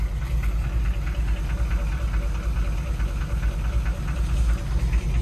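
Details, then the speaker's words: Cold C5 Corvette V8 idling: uneven knock about twice a second over the rumble; owner unsure whether cam tapping or transmission, suspects cracked flex plate or loose bolts; present since purchase, not worsening, runs well. "This one sounds like she's got a cam, but I think she's just cold. Oh yeah, listen to that tranny knocking."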